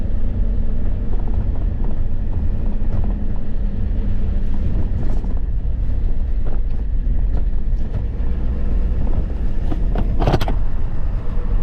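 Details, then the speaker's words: Ford F250 7.3 diesel, 500k miles, after turbo removal and exhaust repair: deep, steady diesel rumble while driving with road noise, pulling evenly with no knocks or whistles; runs fine. "There, she's pulling up. Sounds good."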